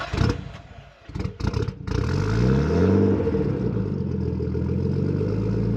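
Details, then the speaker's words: Nissan R32 Skyline GTS-T, RB20DET, ex-Japan project car: at start it cranks, catches, then stumbles and surges as if about to die, running fine after about 10 seconds; rough start, cause unknown. "So another thing is when you first start the car, it sounds like it's about to die, but if you give it about 10 seconds, it runs perfectly fine."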